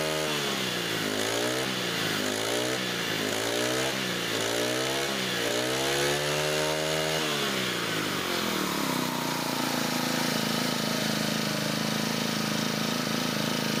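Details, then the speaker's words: Brand-new, just-unboxed Honda GX25 brush cutter, first idled then revved: repeated quick rev rises and falls, then holds high but wavers unevenly now and then; intermittent surging, cause not confirmed. "ฟังเสียงเวลาผมเร่งเครื่องดูดีๆนะครับทุกท่านเครื่องยนต์นะครับจะมีอาการวูบเป็นบางครั้งนะครับ"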